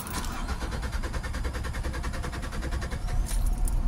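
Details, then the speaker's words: 2005 Nissan Altima with strong cranking and a battery under a year old, dropping to about 9 volts on start: steady cranking that doesn't catch, stalls, starts only on the second or third try; hard start, cause not confirmed. "Tapos namamatay. So yung pangalawang pagkakataon o pangatlo pagkakataon doun siya aandar."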